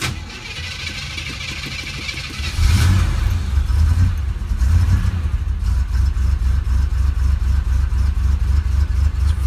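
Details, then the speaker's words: Unrestored 1981 Chevrolet Camaro Z28, LM1 350 cu in 5.7 L V8, computer-controlled carburetor, 350 Turbo transmission, cold start after sitting 4 days: brief crank, catches into lumpy uneven idle; a little cold-blooded, normal warm-up. "It is a carbureted car, but it is a computer controlled carburetor. It's the first of the computer controlled cars. So it is a little cold-blooded. It'll take a few seconds for it to warm up and run smooth."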